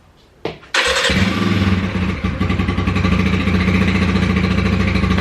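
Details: Scorpio project after carburettor cleaning and carbon cleanout, morning start: brief cranking, then it catches within a second and settles into a steady, even idle with no misses. Normal cold start.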